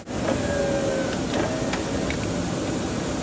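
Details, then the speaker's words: Blower motor after reconnecting a wire pulled out of the ignition switch (aftermarket alarm fitted): steady, even fan rush with faint constant hum, no rattle or squeal; blower running normally. "when we take that wire and plug it right in you can hear our blower motor start"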